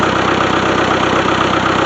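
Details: Old, worn, hard-used Ford-badged (Long parts) tractor diesel idling evenly with a regular clatter and no misses or heavy knock, smoking less after leaking injectors were fixed and started with ether; normal idle.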